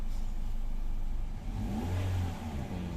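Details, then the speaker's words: 2017 Toyota Vios after repair: engine revs up smoothly and settles, no drone or knock; the previous loud near-knocking drone came from the oil pump, and the warning light now clears within seconds. "Ayan tahimik na po siya wala na po"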